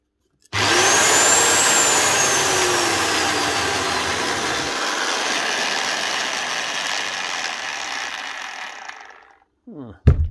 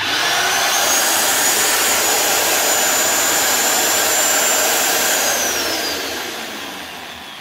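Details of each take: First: Rotabroach magnetic drill spinning up with a loud, rough, gravelly running noise; the spindle's linear needle bearing is totally shot, needles dropping out; failure can also damage the shaft or sleeve. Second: Rotabroach magnetic drill after repair with new needle bearings, motor spinning freely with a smooth, steady high whine then winding down at switch-off; before the repair it ran loud and rough with failed needle bearings.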